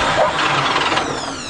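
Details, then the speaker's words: Old 427 dump truck cranking with the gas pedal pumped and the choke in use. The starter churns unevenly and the engine coughs without catching, then winds down; it is probably flooded from over-pumping. Cranking, no start. "that sounds bad are you pumping it what are you pumping yes pumping it I'm pumping it he's pumping it I think you pumped it a little too hard it's had too much"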